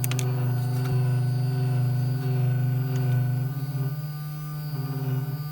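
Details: Brand-new LulzBot TAZ 6 3D printer, second unit out of the box, Z axis travelling down; steady low drone with faint pulsing beat from the Z lead screw: Z-axis lead screw noise.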